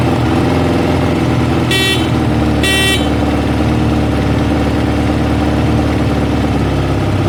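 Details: Kawasaki ZL600 motorcycle just after fitting a new battery and cone air filters, first start before warm-up: steady even low burble with no knocks or misses, smooth idle, two short horn toots.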